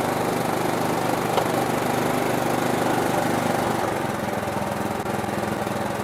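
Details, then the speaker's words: Riding lawn mower after carburetor cleaned and rebuilt with new gaskets and seals (previously wouldn't idle, backfired): cranks a few seconds longer than usual to fill empty fuel bowl, then catches and settles into steady, even idle; normal cranking and starting. "I think we're ready to crank this over and fire it up just keep in mind that there is no fuel right now in the fuel bowl so it may crank for a few seconds more than it normally would because it has to fill that fuel bowl"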